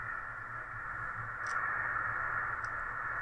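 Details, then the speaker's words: Home-built 80 m LSB/USB/CW receiver (1996–97), fed 3.7 MHz from a signal generator in CW mode with input turned well up: only steady hiss, no tone; no sensitivity, suspected dead oscillator, mixer, VCO or front end. "so there's no sensitivity at all or there is a an oscillator that is not working or a mixer or something that is not working"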